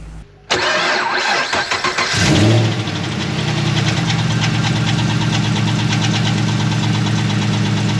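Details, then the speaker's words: 2011 Chevrolet Camaro SS, 6.2 LS3 V8 with long-tube headers and straight exhaust, exhaust removed, camera mic at front: loud start settling to fast idle with quick even tick over exhaust; owner ~99% sure a roller lifter is bad. "problem is is before I parked it started hearing a weird noise and pretty sure I know what it is we're going to dive in to make sure that's what it is I'm about 99 sure it's got roller lifters in it"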